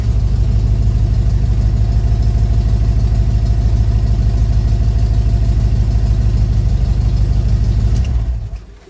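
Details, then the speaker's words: Steyr Puch Pinzgauer 710M petrol engine after the fuel pump rebuild, carburetors not yet rebuilt. Steady, even idle with a regular beat for eight seconds, then a clean shutdown: fixed, runs normally. "so it looks like it's fixed that's going to be it for today"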